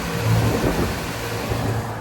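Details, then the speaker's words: Oversized Trane multi-stage rooftop unit: second stage called, steady low hum with even rumble, no knocking or rattling; compressor running normally. "We're looking good."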